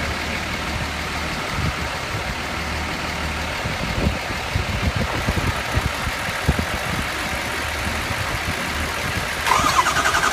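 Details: 2003 Ford 6.0L diesel with replaced high-pressure oil pump, IPR and FICM checked OK: uneven cranking churn with no firing and no idle settling in. Crank, no start.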